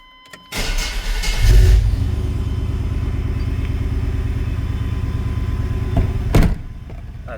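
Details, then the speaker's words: 1995 Chevy 1500 GMT400 after a transfer-case speed sensor swap, cold start: a brief crank, catches within a second, flares, then settles into an even, steady idle. Normal cold start; the pulleys are noted as noisy afterward. "I also can show you how well we got it to start up. This is a cold start."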